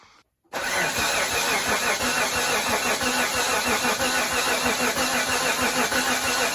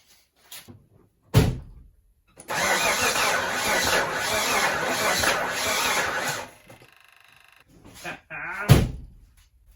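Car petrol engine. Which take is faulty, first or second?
second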